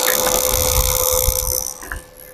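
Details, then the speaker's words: THS ZX7-200 welding machine cutting in and out, tested up to 207 A: steady buzz over the welding crackle fading as the arc drops out; burnt, loose-contact power socket found as the cause. "Nah, ini soketnya ini antara nyambung sama enggak nyambung. Ah, itu masalahnya be"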